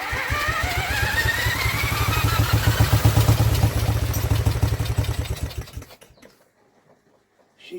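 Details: Vintage Douglas engine after 40 years under a hedge, spun with an electric drill, mixture screw adjusted an eighth of a turn at a time: coughs and fires in uneven bursts, briefly picking up before dying; intermittent firing, cause unconfirmed.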